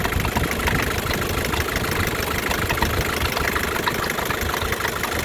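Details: 1984 Isuzu P'up diesel idling with uneven, rough clatter over low rumble, knocks irregular; abnormal idle noise, source undetermined.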